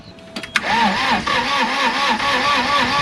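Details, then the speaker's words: CAT 226B skid steer diesel, engine previously apart, new glow plugs fitted: starter turns engine unevenly about three pulses a second, never fires; low compression suspected. "We gave up on trying to start it. Low compression, we thought, wasn't starting."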